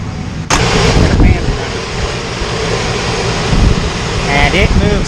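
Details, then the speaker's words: 1968 GMC with a newly installed oil cooler for high oil temps and low idle oil pressure, engine hot; the electric fan kicks on with a steady rushing whoosh of air over a low engine rumble, working normally. "ok finally got the fan to kick on as you can see the little light is on"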